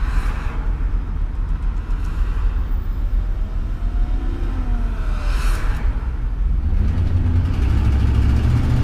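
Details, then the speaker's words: RV engine after shop installed a new adjustable fuel pressure regulator and O2 sensor, idling smoothly at about 800 rpm; under throttle a deep even rumble builds with no hesitation, earlier slight exhaust leak no longer heard: normal acceleration. "boy no hesitation at all when you get pushed down on the thr"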